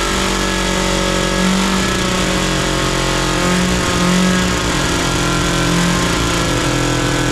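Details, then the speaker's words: Big Max 6x6 amphibious ATV, 440cc two-stroke, just started on choke with ether after sitting: a loud, raspy drone whose pitch wanders up and down instead of settling; rough idle, barely holding a steady idle. "well we have a runner boy that's awfully loud not much of an idle circuit to it"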